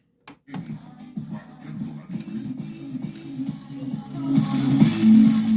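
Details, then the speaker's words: LG speaker's large 6.5-inch woofer, tested in series with another 4-ohm speaker: music has a rough, smeared sweeping distortion on the bass that goes away when the woofer is disconnected, so the woofer is damaged and replaced. "entonces ahí está ese sonido barrido que dice el cliente que es el que se escucha"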